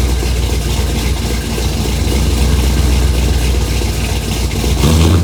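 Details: 1968 Mustang Fastback, cammed 460 big block, Holley 750 carb, long-tube headers, 2.5-inch exhaust with Thrush mufflers, new fuel pump and filter: deep lumpy rumble picks up cleanly on throttle blips and settles back; strong, healthy.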